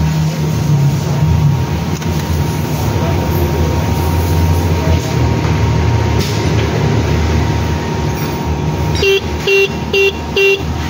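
Four short, crisp honks with a steady mid-pitched tone over traffic noise; the dual horn and relay are working properly.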